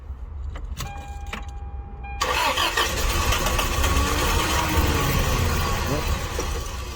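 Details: Toyota Tarago/Previa/Estima engine, first start after head gasket and cylinder head replacement, on a weak battery with assist: a couple of seconds of quick cranking, then it catches and settles to a steady idle; starts fine.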